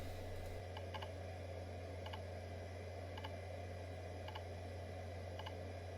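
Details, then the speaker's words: Roughly 30-year-old Quantum IDE hard drive (520 MB) that initialized and was detected fine, then began repetitive clicking while booting Windows 95: a soft hum with a sharp double click about once a second. The drive is failing, and formatting later hung. "now these kinds of repetitive sounds are rarely a good sound when it comes to hard drive"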